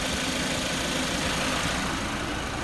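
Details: Suzuki SX4 at idle in a 25-degree garage with AC on, after a new compressor clutch coil and a top-up of refrigerant and oil; low side about 38 psi, high side 170, clutch staying engaged. Constant airy whir and hiss, a bit loud. Cause unclear.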